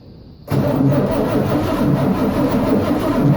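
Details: El Camino carbureted V8, first start in 23 years: catches abruptly after half a second of quiet and settles into a steady, slightly uneven idle; old dry fuel lines found leaking afterward.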